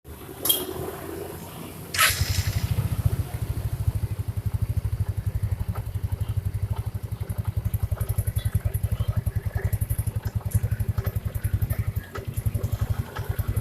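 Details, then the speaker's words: First-generation Yamaha Mio scooter; starts normally, but seconds later a harsh rough edge under a low even idle chuff, something rubbing at the front of the CVT cover; noise disappears with cover removed. "Pertama dihidupkan halo, tapi beberapa detik kemudian bunyinya kayak gini. Kita cari tahu sumber masalahnya ya. Sebenarnya sih kayaknya saya sudah prediksi di daerah depan sini ada yang bergesekan."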